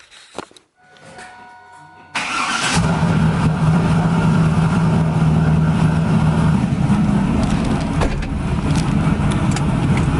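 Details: 2000 Pontiac Trans Am WS6 V8 (BTR Stage 4 cam, longtube headers, Borla catback, 10% underdrive pulley) after a tune-up replacing E3 spark plugs suspected of causing rough running: quick crank, then a steady, even lumpy idle with no misses or rattles; noticeably quieter.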